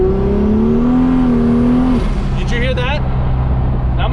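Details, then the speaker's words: Race car after injector baseline tuning, during a high-boost street pull: the engine note climbs under boost, then as throttle is added the revs flare and run ahead; clutch slipping. "look at the RPM the RPM is on point and as soon as you give it some throttle to get into a little bit of moose she just starts slipping"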